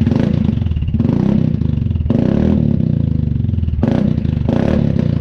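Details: Newly mounted Dominator exhaust with a remade medium baffle on an MP3 500: loud, throaty single-cylinder bark through several throttle blips with no metallic rattle inside the exhaust. Normal exhaust note.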